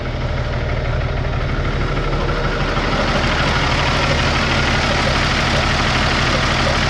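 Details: Peterbilt 386 truck diesel at steady idle with a regular top-end tapping, roughly three per second, which the owner thinks comes from the top of the head; the tapping points to worn, scarred cam lobes.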